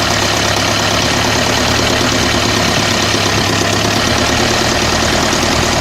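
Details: OM601 2.3 diesel idling with a dense, hard clatter and a knock running through it at engine speed; an engine knock, cause not determined.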